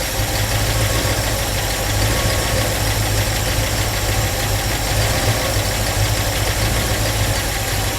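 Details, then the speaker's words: Ford Mustang Mach 1 that sat with ethanol fuel: loud, lumpy V8 idle with uneven beats that never settles, probably running a little rich. Owner suspects a carburetor feed or diaphragm fuel pump problem; unconfirmed. "if I take the seat belt out it doesn't do it probably running a little Rich right now"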